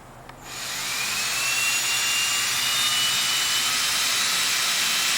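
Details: 1967 VW Beetle speedometer bench-tested on a new cable piece after the original cable failed: smooth, steady high whirr, no clicking or catching, needle reading speed; speedometer working normally.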